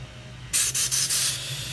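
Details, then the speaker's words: Briggs & Stratton Quantum mower fuel cap, tightened on a pressurized tank, gives a soft airy hiss of escaping air, showing the cap vents properly. "don't know if you can hear it but it's breathe it's escaping out this cap tighten it again and it's hissing right here I can hear it"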